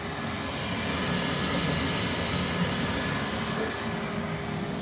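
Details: Bambu Lab X1-series 3D printer running a print with the enclosure opened: steady fan rush with a faint constant hum and soft motion rumble, nothing irregular. Normal operating noise.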